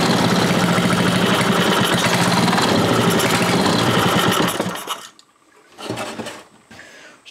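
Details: Briggs & Stratton 5 HP engine just converted from points and condenser to electronic ignition, temporary setup: uneven hunting beat near four pulses a second, then shuts off; air leak because the carburetor is held by only one bolt.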